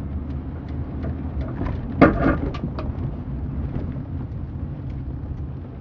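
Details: Clunk when turning left, recorded from the back seat with the 40% fold-down seat open and an empty trunk: low road rumble broken by one sharp clunk and a few lighter knocks.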